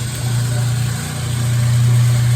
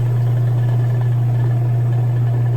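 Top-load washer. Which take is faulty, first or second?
first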